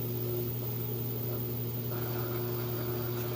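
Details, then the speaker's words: LG direct-drive top-load washer with TrueBalance and a heavy load of towels and jeans, final spin: steady motor hum with a smooth whir building to full speed while draining, no thumping; healthy spin. "okay and here it is on that final spin cycle it's getting up to speed and draining all the water out"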